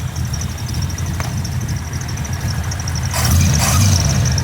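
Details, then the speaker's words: Chevy S10 with small-block V8, after chassis wiring relocation: steady even V8 idle with faint accessory whine, alternator audible when blipped; normal idle, about 13 volts, oil pressure sensor reading still wrong. "can hear that alternator every time I hit it will oh she sounds good"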